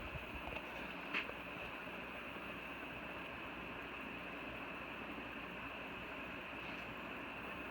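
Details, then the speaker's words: 36-inch (actually 40-inch) Dayton Lasko ceiling fan on speed 3; quiet airflow hiss with a thin, steady high-pitched whine on top, noisy at top speed. "Speed 3. Very noise there is, you can hear it there."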